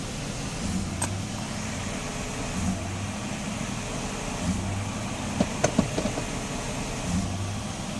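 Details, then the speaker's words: Mercedes S500 with a bad E-gas throttle module, no foot on the gas: idle swells and sags in slow waves about every two seconds; limp-mode idle hunting from the faulty module. "See, I'm not doing anything to it. My foot is not on the gas. It just keeps jumping. That's the limp mode right there."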